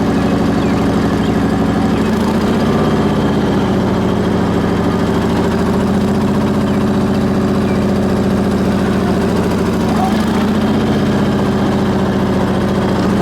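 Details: Onan BF-MS 16hp twin with DD11 carb, after the pulse fuel pump was rebuilt: smooth, even low drone at steady speed with no misses, knocks or surging. No leaks, slight smoke on startup, ran fine half an hour, slightly low on oil.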